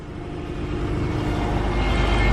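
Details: 2009 Subaru Forester 2.5 L non-turbo, started cold before the pump was replaced: a faint steady whine rides over the idle rumble without changing pitch. Suspected bad power steering pump.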